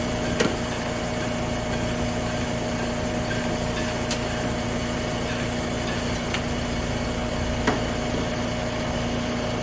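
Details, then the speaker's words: Trane AC unit restarted on a hot day, 86°F indoors: only steady fan whir, low hum and faint clicks, no compressor kicking in, momentary buzz heard; compressor won't start, capacitor failed and replaced. "I heard that momentary death buzz a couple of times."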